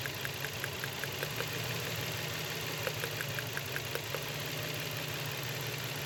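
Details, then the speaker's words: Nissan X-Trail V6 misfiring with poor pickup and vibration: uneven idle with sharp irregular ticks and knocks over a shaky hum; coils checked, intake manifold removed, two clogged non-working old-model injectors found and replaced. "খোলার পর injector গুলা খুলে দেখলাম ইনজেক্টরের সমস্যা injector জাম হয়েছিল কাজ করতেছিল না দুইটা"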